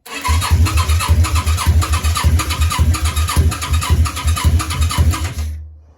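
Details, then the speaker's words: Yamaha Virago 535 project, plugs cleaned and choke and mixture adjusted: steady starter churning with odd weak pops that never catch. It cranks but won't start, and the owner suspects a leaking O-ring at the mixture screw hole. "You can hear she's just wanting to go, but she won't quite go."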